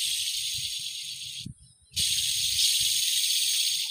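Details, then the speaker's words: Power tiller clutch pulley bearing, removed and spun by hand, giving a dry, gritty hiss and rasp. This worn bearing caused loud noise in the gearbox; the clutch plate, shaft and other bearings were also worn. "তো এই bearing নষ্ট হওয়ার কারণে প্রচন্ড পরিমাণে শব্দ চলে আসতো"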